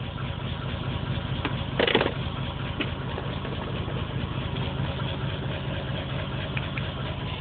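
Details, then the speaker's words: Random misfire, P0300 code and pending P0300, solid check engine light after earlier flashing; plugs just replaced were black and gas-smelling; uneven lumpy idle with irregular low thumps and a stumble that never settles. "okay so i got the po300 and the pending po300 so that's the misfire code"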